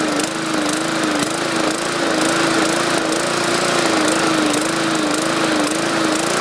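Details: 2014 MTD 20-inch push mower, 300E engine, main jet drilled out to 0.6 mm; drone rises and sags roughly once a second, hunting surge that raising RPM didn't cure; owner suspects too much fuel from the enlarged jet.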